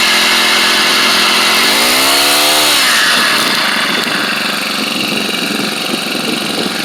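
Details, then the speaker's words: SEDEG 1.5 hp 4-stroke air-cooled outboard, about 50 miles, run with low throttle out of water: buzzy single-cylinder note climbs, then dry even rattle on top; normal centrifugal clutch noise. "so you'll hear this this racy rattle that's the centrifugal clutch and um and that's just the noise it makes i wouldn't let it concern you"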